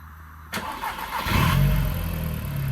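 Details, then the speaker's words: Audi TT Mk1 on first start during service with fresh oil, oil filter and air filter: brief crank, clean catch, then a smooth, steady low-hum idle with no ticking or roughness, "like a Swiss watch"; normal healthy start and idle. "Swiss watch. >> Sounds good, doesn't it, Dave?"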